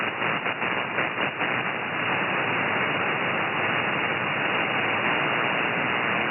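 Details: Anan radio receiver: hissy static flutters then swells to a louder steady rush whenever a strong sideband signal crosses a threshold, shutting off the noise blanker and raising the noise floor.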